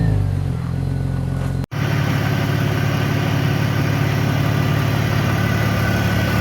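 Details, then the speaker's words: BMW X5 with rebuilt M54B30 inline-six, after a few heat cycles: steady, even idle and smooth rev with no ticking or knocking; healthy after rebuild, though an unlocated heat shield sometimes rattles. "This is now how it sounds after a few heat cycles. I did also add this missing plastic here that was broken from the previous owner. But yeah, if you ask me, this sounds pretty much perfect, no extra noises or anything."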